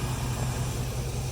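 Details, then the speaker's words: Chevy Colorado with junkyard LS V8 swapped in for the i5, reusing the factory exhaust with new stainless parts: deep, even V8 burble at steady idle without misses or knocks; running smoothly. "So anyway, we reused it. Thing sounds great. Love this truck."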